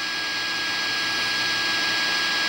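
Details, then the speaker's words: Arduino AM transmitter running on a roughly 12 V pack of four AA cells, heard through a 74GW15 radio: a steady, high, hissy whine at even pitch with no rhythm, present before any audio source plays; the USB cable was ruled out as the cause. "have the noise I thought the USB cable was create nose and it wasn't that wine that we hear right now is there so soon as I hit the play for the source"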